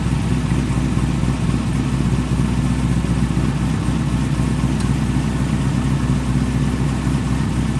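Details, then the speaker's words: Pontiac GTO at idle after the A/C pulley was replaced to cure a squeal: smooth, even running with a steady low drone and no belt chirp or squeal. "I didn't hear you squealing did you hope that get the HEVC back in this girl now"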